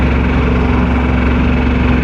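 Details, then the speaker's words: Dually truck on a highway road trip, low on coolant: heavy engine drone under load with a dull regular knock following engine speed amid road noise; driver suspects a spun bearing and rod knock, pulling over. "I think it's like I think it's uh I think a bearing spun so it's it's going to send a rod through the block any moment like it a literally grenade"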